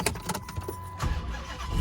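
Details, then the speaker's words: 2006 Chrysler 300C 5.7 Hemi, previously stalling with U0100/P0700 codes, traced to a bad wiring harness connection; short crank, engine catches cleanly and settles into a steady low rumble without stumble: normal engine start. "for me my issue was a bad connection I'll even show you guys I'm about to start the car she runs perfectly fine"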